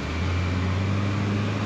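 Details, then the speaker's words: 2013 Honda Ridgeline 3.5 road test after replacing rear struts and a broken coil spring; low steady road hum with no pops, clunks or knocks; suspension quiet, ride height level, earlier steering popping and wander gone. "it feels good I hear no more noises the ride height is now the same"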